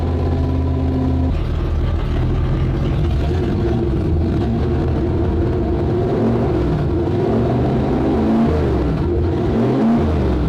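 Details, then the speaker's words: Starboard 350 Chev small block V8 in a twin-engine tank, port engine shut off: steady burble settling into a lumpy, uneven idle with wandering pitch; rough running, throttle synchronization suspected out a bit, judged good enough to run. "starv engine doesn't sound anywhere near as happy as the the other one does. The other one sounds got that really nice throaty small block Chev sound to it. And also I think there's the throttle synchronization is out a bit as well too."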